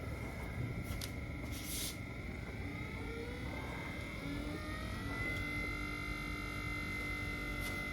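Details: Minn Kota Ultrex trolling motor after a foot rebuild with new armature and seals, done because the bearing was grinding: smooth electric whine climbs as it spins up, then holds a clean steady pitch with no rubbing; healthy.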